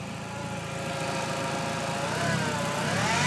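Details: 1.8T engine bay: clear whine rising in pitch with revs over smooth idle, persisting after power steering fluid was checked and topped up; speed-related whine, source unknown.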